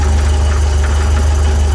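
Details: VW 1641cc flat-four, about 15,000 miles, standard crank and cam, twin DRLA carburettors, deep steady cold idle with a faint regular dull knock; caused by the aftermarket crank pulley developing play.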